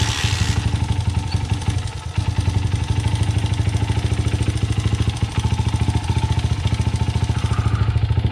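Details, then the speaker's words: 2009 Honda CRF80F dirt bike with Pro Circuit exhaust, revived after sitting. Fast, even idle has a light top-end tick on each beat. Owner suspects valves or timing chain slap. Heard before turning the timing chain fine-tune adjuster bolt. "Alright, so the engine has like a small ticking noise. It could be the valves. It could be timing chain slap."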